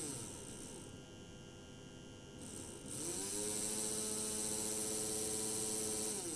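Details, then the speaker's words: PIKO BR62 model locomotive motor-gearbox, lubrication lacking, at medium speed on transformer: steady whirring drone with gear whine over mains hum; loud motor and gearbox noise, cause unclear. "also ich finde das eigentlich schon ganz schön laut klar die Geräusche werden hier auch durch die durch die dritte"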